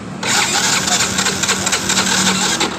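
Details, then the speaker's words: Yamaha Mio J that dies suddenly while riding: the electric starter whirs steadily about three seconds, spinning fast and lightly without firing; the kickstarter feels very light instead of stiff, pointing to low compression. "jadi beberapa kali kita e menggunakan electric starter motor ini memang susah hidup tapi ketika kita cek di bagian dari engkolnya terlebih dahulu seperti ini terasa engkolnya ini terasa sangat ringan"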